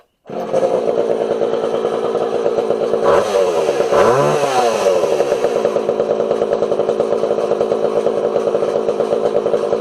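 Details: Homelite 240 chainsaw after adjusting the low jet and idle a half turn at a time: revs up clean and holds a steady, even high buzz with no stumbling or hunting; carb sounds properly set.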